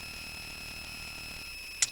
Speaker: hear the noise great such a lovely noise i'm not quite sure why the noise